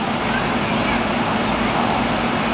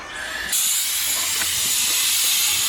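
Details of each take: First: Replacement R-22 commercial AC condenser after blown compressor seal, charged and running: steady even fan whoosh with no rattles or cycling; subcooling and head pressure correct, running normally. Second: Air-conditioning system found completely out of refrigerant and charged with dry nitrogen: a loud, steady high hiss of gas escaping at the compressor, whose seal has blown, with a burnt refrigerant smell; a dry condenser was installed.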